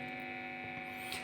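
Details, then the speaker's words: Cheap TP-Link power adapter plugged into a guitar effect pedal during a noise test, about 51 dB average on a phone meter: steady low electrical buzz with a thin high whine over it, constant throughout, mains hum from the adapter. "Oh, sudah terdapat suara yang mencurigakan. Tapi it's okay, tetap akan kita akan kita uji ya."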